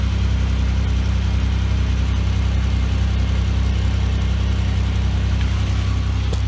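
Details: 2004 Chevy Impala 3400 V6, high mileage, idling on jack stands after fuel pump, fuel filter and fuel pressure regulator replacement: smooth deep even hum, no miss, tick or hunting; no leaks, repair successful.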